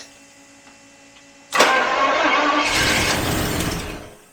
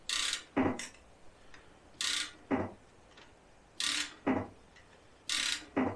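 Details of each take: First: 1977 Daimler Double Six V12 coupe sitting since 1982, fuel now supplied: silence, then cranking that stumbles without catching and dies; injectors clicking, possibly intermittent and suspected partly clogged; cranks but won't start. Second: 1977 Daimler Double Six V12, sitting since 1982, heard through a stethoscope on one injector: sharp paired clicks each time it is triggered, so this injector works. Few injectors click while cranking, and a trigger board issue is suspected.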